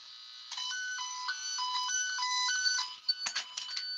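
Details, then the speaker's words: Circuit tracer on household wiring with its leads connected backwards: faint, grainy warbling beep stepping between two pitches, barely audible, thin and rough rather than clean; weak grainy tone from reversed tracer leads. "okay, so you can barely hear it. You kind of hear it like it's grainy."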